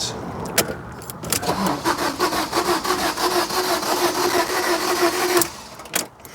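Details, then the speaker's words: Fiat Doblo van that broke down on the M25: fast, light, even cranking for about four seconds with no firing and no compression drag. It sounds like no compression; a snapped timing chain is suspected. "That sounds to me like an engine with no compression. Oh dear."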